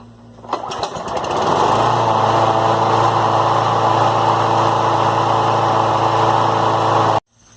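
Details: Poulan push mower with an 8.5 hp Briggs & Stratton engine that wouldn't start; after reinstalling the spark plug and air filter it catches after several pull-start tugs into a steady, even single-cylinder drone with no misses; normal running.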